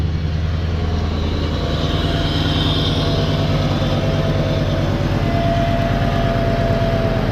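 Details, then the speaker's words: LT1 Caprice 9C1 V8 after water pump and stock Optispark replacement and radiator hoses: deep steady rumble, even idle without stumbles or knocks; earlier hesitating, skipping misses now gone, running normally. "I mean that's running I don't think it's got any more misses to it it was like hesitating before like skipping around"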